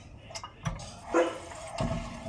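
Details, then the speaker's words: BMW E36 316i, wheel rocked by hand: dull ticking knocks from play in a worn wheel bearing or hub, which sounds loose and unsafe. "as you can hear the car sounds like the bearings out or the Hub this is not safe this sounds like something is loose really isn't it"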